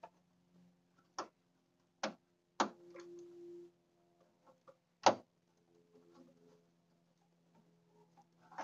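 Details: Mopar 440 with Quadrajet carburetor being revived with a new battery: faint steady low hum under scattered handling knocks, the electric fuel pump running normally.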